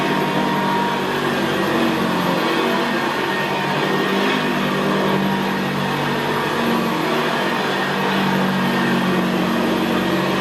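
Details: 1975 Hoover Senior Ranger U4002 vintage upright vacuum in use on carpet: even motor whir with a steady gravelly brushroll growl, no squeal or pitch change, described as very quiet. Normal running.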